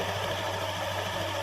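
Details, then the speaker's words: Honda Scoopy (K44) scooter after CVT repair with new drive belt, CVT cover still off: even steady idle with smooth beat, no rough rustle or scraping from the belt drive, normal idle. "So the sound is like that. Yes, there's no rustling sound. It usually comes from the fanbell that has been installed."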